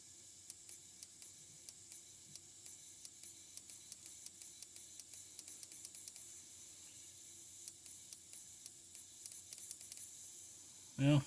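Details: Fuel injector bench-tested with the fuel pump running and power applied: sharp light ticks about three a second over low pump hum and faint hiss, the injector clicking open.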